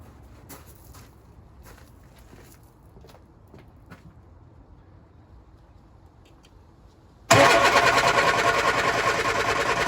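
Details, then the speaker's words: Lotus Elan cold start after sitting over a week, on a damp morning with choke pulled and throttle pumped: scattered ticks, then steady cranking that never fires. Owner suspects fuel not reaching the engine, a known problem; cranks, no start. "It's probably the old issues, isn't it? Getting the fuel up."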